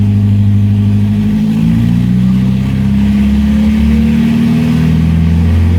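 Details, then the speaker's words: Restored 1970 Opel GT engine on its first full run, ignition timing not yet set, about 750 rpm idle, ammeter charging, oil pressure good. Revs climb and fall back smoothly, then settles to an even, stable idle with no stumble; healthy. "Nice clean back off. Nice stable idle."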